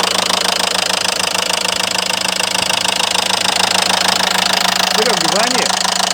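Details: Renault Megane 3 diesel at idle: sharp, even knocking about 200 a minute over clattery idle, appeared suddenly after idling a while; internal engine knock, cause unknown.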